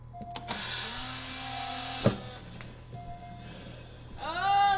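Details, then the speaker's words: Rebuilt fire-damaged Porsche 911, parking brake cycled during scan-tool checks: short electric motor whirs of a second or so each, stopping cleanly; normal electric parking brake operation. "Let's make sure the parking brake works. Parking brake works. >> Sound like it works."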